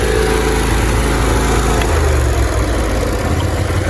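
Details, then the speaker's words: John Deere LT166 riding mower, 16 hp Briggs & Stratton V-twin, running on fuel poured into the carburetor bowl at low idle: steady, even low-pitched twin beat without knocks or misses; normal running. "Oh, that's a beautiful sound. V-twin purr."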